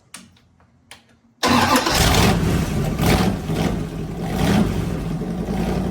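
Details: Fully rebuilt Magnum 318 V8 (360 cam, roller lifters, new timing set, valve job), timing adjusted and vacuum leak fixed, running heat cycles; cranks and catches quickly, settles to strong even idle with clean blips, healthy.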